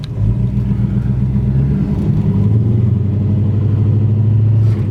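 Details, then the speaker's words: 1966 Plymouth Barracuda V8 with automatic transmission, new plugs and plug wires, fuel system cleaned, driving on the road; deep, even V8 rumble under light throttle with a nice exhaust note and smooth shifts, no misses or knocks. "exhaust has a nice note to it trainy shift smooth it's not a tire shredder it's just a a fun little Cruiser"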